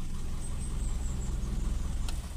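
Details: Toyota Kijang Super, carbureted, start after raising idle rpm to cure hard starting: deep, steady low rumble with an even beat, no misses, knocks or squeals; healthy idle.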